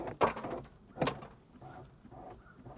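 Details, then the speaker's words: Mercedes power window regulator has wound itself up and failed: two heavy clunks with a short grating scrape, then faint creaking as the window is operated; left rear window also suspected bad, its switch does nothing. "Yeah, the window regulator has wound itself up and is busted. It is busted bad."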